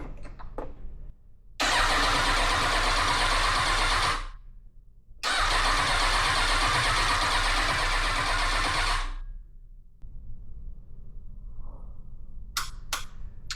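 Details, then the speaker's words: Kawasaki ZX6R 636 project bike on a rigged battery with a proper Kawasaki chip key: FI light flashing and the fuel pump not priming. Two long starter-cranking bursts never catch; owner suspects an immobilizer issue (key needs coding to the ECU). "fuel pump is not priming I wouldn't expect it to Prime to be honest yeah I think it's an immobilizer issue"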